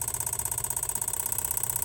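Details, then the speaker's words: Van evap purge solenoid commanded by scan tool in 10% steps: quick steady ticking, about twenty clicks a second, over quiet idle; new solenoid clicks the same, slightly quieter, so normal operation. "Well, new one's in there. Maybe it's slightly quieter, but it still does the same clicking"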